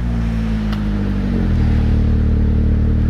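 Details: Saab 9-5 Aero with about 200k miles, straight-piped after cracked center muffler caused an exhaust leak: deep, steady drone rising smoothly with revs, no puffing or ticking leaks; exhaust sounds healthy after repair.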